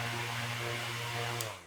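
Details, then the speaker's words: Old table fan after DIY speed-controller mod, running at top (fourth) speed: steady motor hum with even air rush, then smooth wind-down when switched off; healthy. "Second എത്തിയപ്പോൾ ഒരു ഇച്ചൂടെ കൂടിയിട്ടുണ്ട് കേട്ടോ. Third fourth ഇതാണ് ഇതിന്റെ top speed."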